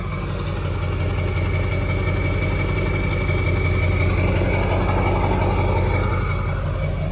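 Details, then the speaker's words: Ford 7.3L Powerstroke diesel warm idle after about half an hour and 10 miles of driving, bad new ICP sensor replaced: steady even idle, no major shaking, slight exhaust surge remaining; injectors slightly lazy. "It's warm. I've been out kind of running around this morning. And you can hear a warm idle, and then I will play the footage of the cold idle."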